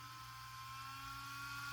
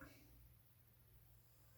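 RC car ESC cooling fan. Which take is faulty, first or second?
first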